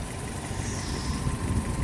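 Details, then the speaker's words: Fiat 500 Pop 1.2 petrol, 5-speed, about 95,000 miles, ticking over with a soft, fast puffing chuff on the exhaust note; exhaust blow traced to a leaking exhaust manifold gasket. "yeah it looks like it's um leaking from the gasket the exhaust manifold gasket"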